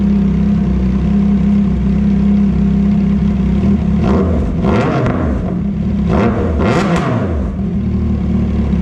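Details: CFMOTO 675SS motorcycle after winter storage: a steady, even idle, then two quick clean blips that rise and fall smoothly with no knock or rattle. It sounds loud after the layoff, and the engine is healthy.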